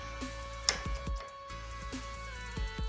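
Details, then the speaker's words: 3000 W 48 V ebike: sharp, irregular clicks and knocks as the rear derailleur edge strikes the top of the frame over bumps. "what it's doing is uh this edge of the derailleur it's just catching the top part of the frame"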